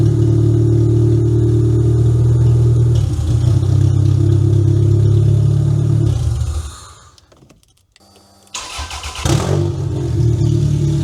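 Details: Toyota Camry demolition derby car, previously no-start, after fixing a cut security-system wire, started with booster pack: steady low rumble dips briefly then settles into an even run; running normally and loudly.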